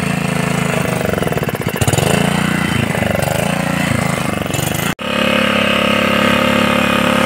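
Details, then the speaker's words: Honda GX80 water pump engine after tank and carburetor cleaning: single-cylinder putter wavers briefly, then settles into a steady, even beat with no stumbling; running properly. "देखिए मेरा machine स्ट हो proper चल रहा है देखिए बहुत बढ़िया चल रहा है"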